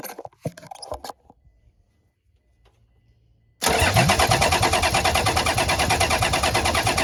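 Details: 1HZ diesel in a 75 series Land Cruiser, fitted but never fired and parked 12 years, cranked from the bay via a solenoid wire: steady even chug about three beats a second, no knocks; oil pressure comes up, normal cranking.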